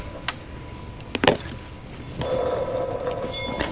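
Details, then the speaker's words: Chevy SSR: handling clicks then a rough grinding whir as the water pump pulley is spun by hand, pump has play; worn water pump bearing, tensioner and idler also bad. "tensioner is bad idler's bad listen that water pump listen to it grind"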